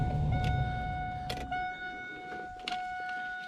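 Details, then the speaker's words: Gen 4 Trans Am power window motor during replacement, run with the other switch: a steady, even whine with no grinding or stalling, so the motor works normally and the original switch is faulty. "all right so the motor's working so basically uh it's gonna order like a ten dollar switch"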